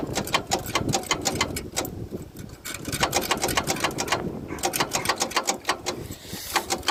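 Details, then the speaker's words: Woodchuck WC17 wood chipper that sat for years, inline-six that looks like a Ford pickup engine, marine deep-cycle battery, broken choke, fuel hose disconnected: rapid uneven clattering, barely turning, never fires. Worn-out starter can't crank a badly stuck engine; plan is trans fluid in cylinders and a new starter. "unfortunately, guys, the starter is shot, and there's like no hope for this thing to be able to crank this engine over. This engine is stuck pretty badly,"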